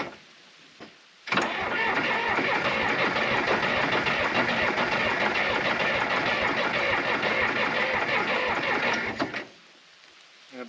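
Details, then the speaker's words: John Deere 350B crawler dozer diesel, after adding about 3 gallons of fuel: labored starter grind at about three compression strokes a second for eight seconds without firing; battery sounding real weak, needs replacing or charging. "sounding real weak. I gotta get another battery in this or really juice that one up."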